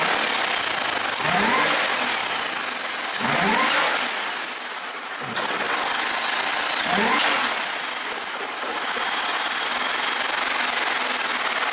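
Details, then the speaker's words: 2002 Buick Regal supercharged 3.8 with a newly installed engine that lacks power: four throttle snaps sound flat, choked and constipated with rough knocking, pointing to a restricted exhaust under back pressure testing. "I don't like the sound this engine makes because it's very constipated right now. Constipated engines don't sound good"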